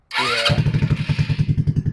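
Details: RPS 150cc sport ATV, non-running, with starting fluid, full throttle and choking to pull fuel through a carburetor with suspected buildup: it catches and revs briefly, then slows to uneven chuffing and dies.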